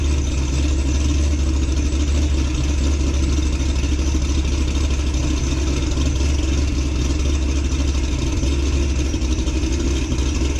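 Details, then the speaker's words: 2006 Corvette Z06 V8, cold start before cam swap and ported heads: deep, steady rumble with fast high cold idle, no knocks or misses; normal stock cold idle. "fire it up get a cold start sound clip of before and then we'll do one after we put back together with the new cam in the Portishead's let's go"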